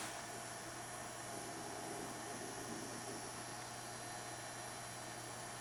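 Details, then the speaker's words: HP Pavilion Slimline s3600t (Core 2 Quad Q9300, 9800GT) fitted with a Sparkle SPI270LE 270W replacement PSU, at cold start: a soft steady fan hiss with a faint hum, quiet and healthy. The fan speeds up later as it warms. "you can see that it's kind of quiet when it first starts up not bothersome at all but after a while running it gets pretty warm and then the fan temperature controller starts speeding up the fan"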